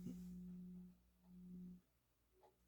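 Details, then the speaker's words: Technics SL-20 turntable after motor repair and service, cartridge switched to Audio Technica: faint, steady low hum in quiet room, less than with previous cartridge; slight audio hum, likely from motor mounted close to cartridge. "so here's an Audio Technica okay all I did was change the cartridge now listen to this this it's got a little hum so turntable has a little"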